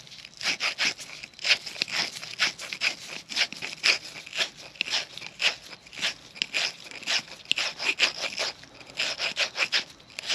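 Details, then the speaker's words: 1940 Harley-Davidson UL 74 flathead oil feed pump rebuild, hand-lapping a check ball seat with light pressure, no engine running: rapid rhythmic sandy scraping about two strokes a second as compound still grinds the seat. "I'm not pressing down real hard just a little bit until the noise changes from Sandy"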